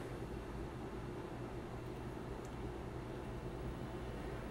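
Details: Steady low hum with faint hiss from speakers, a ground loop hum coming through the VGA connection, the kind removed by a ground loop isolator made from an old 12 V AC adapter.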